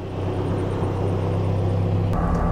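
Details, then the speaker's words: Toyota AE86 with a KA24 engine and a larger fuel pump, at idle with the alternator not yet charging: a steady, even low rumble with no misfire; it sounds much better than before. "If you hear, it's a lot better sounding, no misfiring."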